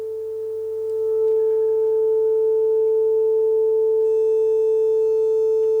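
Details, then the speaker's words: Telefunken Operette 6 radio, Bluetooth module added during restoration: 400 Hz test tone played via Bluetooth; with two pins shorted on the board, the left-channel distortion is gone, leaving a steady, pure tone with no crackle or buzz. "see Distortion is gone so I'm now shorting these two pins here on the on the board itself"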